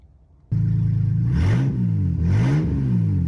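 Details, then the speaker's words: 2007 Saturn Vue, Honda 3.5 V6, AWD, about 359,000 miles, with the entire exhaust system removed; loud raw deep roar at idle climbing sharply with two quick throttle blips. Open exhaust. "Exhaust pretty neat so what does it sound like with Open Exhaust find out"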